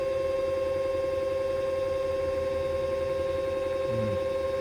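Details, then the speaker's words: Cellbee underwater scooter that had gone dead and would not charge or run, after owner's board repair: constant clean mid-pitched motor whine at steady pitch, no rattle or stutter, app showing a complete clean cycle. Normal motor run after repair. "The Bluetooth light is on. The motor is running. The app shows it running a complete clean cycle, so the board is now functioning."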